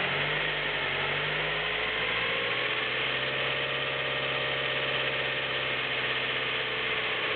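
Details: Nissan Micra 1.0 16V, noise improved after belt tensioning: even idle with fast light ticking over the engine note; top-end ticking at idle, owner says only the valves tap, not confirmed.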